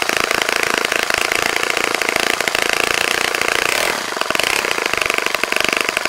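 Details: Saito FA-65 model four-stroke on its first run after rebuild, APC 12x6 prop, Morgan's Omega 10% fuel, Fox Miracle plug, heavily primed to start; high even buzz holds steady, dips briefly and picks straight back up, running clean; normal running.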